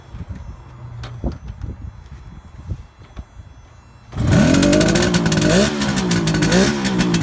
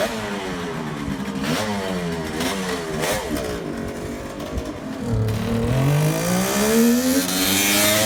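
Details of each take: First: Cold 1971 Kawasaki H1 500 two-stroke triple, rebuilt engine and carburetors, on choke: catches and revs raggedly with an uneven lumpy beat; center cylinder dead from no spark. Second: 1971 Kawasaki H1 500 two-stroke triple after fixing a spark plug cap and a loose distributor cap wire: crisp rasp rising and falling cleanly, all three cylinders firing properly.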